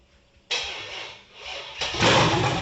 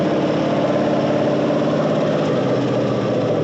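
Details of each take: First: 1978 El Camino with a rebuilt, cammed 6.0 LS V8, first fire-up with the timing distrusted: near silence while cranking, then it catches and roars unevenly, surging. Hard start; owner suspects the cam is limiting air and says it needs tuning. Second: Cammed 6.0 LS V8 in a 1978 El Camino after new tune, no throttle input: catches and holds steady choppy cam lope about three pulses a second, crisp throttle response; normal cammed idle.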